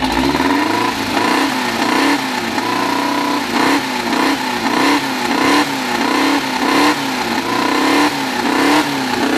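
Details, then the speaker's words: First start of a freshly built 2054 flat-four with no final exhaust fitted: loud, raspy engine blipped in even cycles, revs rising and falling cleanly with no knocks or misses through open pipes; healthy engine. "tanto eu quanto a bianca a carta já foi embora já já ficou doida é uma tontura por causa do barulho da vuvuzela é muito brutal"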